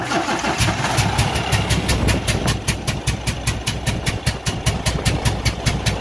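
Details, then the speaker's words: Cummins ISX15 diesel running with a heavy, uneven chuff-and-knock about two and a half per second: compression leak from a broken cylinder head gasket, needing major overhaul. "this engine was making a very unusual sound as you can hear right"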